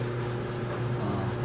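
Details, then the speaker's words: Samsung dryer after pulley replacement, previously making a metal grinding noise: drum turns with an even low hum and soft steady tone, with no grinding, scraping or squeal. Normal drum run. "See, this is very quiet. It's not like before, it was like a metal grinding."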